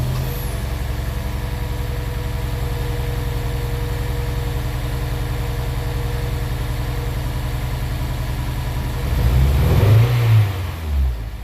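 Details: Honda S2000: lumpy, uneven idle with irregular stumbles, then a short ragged rev that doesn't climb cleanly; engine misfiring.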